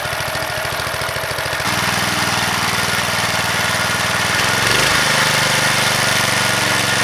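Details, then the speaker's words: Vintage (likely 1970s) McLane reel mower or edger with a Briggs & Stratton single, revived after sitting about 14–15 years, runs a steady rapid beat rising briefly with throttle (throttle cable possibly just reconnected); runs properly, though it needs a new blade. "this should just start up and run pretty much"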